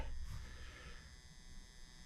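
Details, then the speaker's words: Galaga arcade cabinet on the test video board after repair: steady low, even mains buzz with no rhythm; normally a capacitor, but the board was already recapped, so the source is not yet found. "We do have a buzz coming. Have to look at that. That's Normally that's a capacitor."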